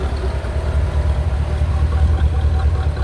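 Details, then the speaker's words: 1985 Corvette C4 after fixing a no-start with no fuel pump pressure; fuel pump now working. Steady, even, smooth idle with the radiator fan whooshing in the background; engine sounds healthy. "Idling very nice. I did spill some transmission fluid on the exhaust manifold over here when I was filling her up."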